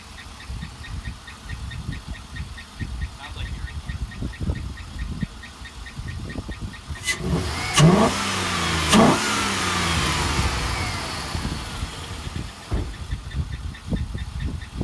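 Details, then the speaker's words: Chevy Avalanche with a new cold air intake and stock exhaust: irregular knocking at idle, about two per second, fades when revved. The owner says rising oil pressure stops the noise and suspects a weak oil pump. Cause not confirmed. "when you step on the gas, the oil pressure increases and it doesn't make the noise anymore"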